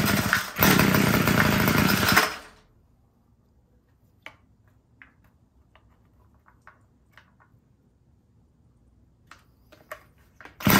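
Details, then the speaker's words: Homelite two-stroke string trimmer that won't start catches, screams at high revs for under two seconds, then cuts out. Owner suspects it is running out of fuel and plans to richen the low-end carburetor adjustment. "It sounds like it's just running out of gas. So we just probably need to richen it up a little bit."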